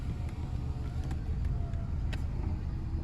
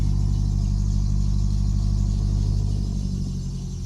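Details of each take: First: Old Subaru at 256,000 miles with check engine light and rusted coil pack, idling: lumpy with irregular stumble and occasional skipped beat; scanner indicates intermittent cylinder 4 misfire, plus codes for blown ignition fuses. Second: Abandoned Subaru, sat 8–12 months, first start after spark plugs were replaced to cure a horrible shaking misfire: deep, even exhaust rumble with a steady beat, all cylinders firing and no misfire; a power steering pump noise is noted as still needing work.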